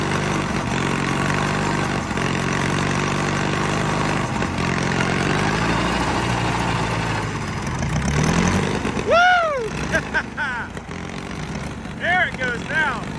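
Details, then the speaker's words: $500 Caterpillar dozer diesel, parked since 1992, running for the first time after a stubborn start in which the starter's Bendix gear kicked out. A steady, even chug at idle with no knocks or misfires; it runs healthy again. "well I tell you what that thing was stubborn it sounds like it runs pretty good now first time since 1992."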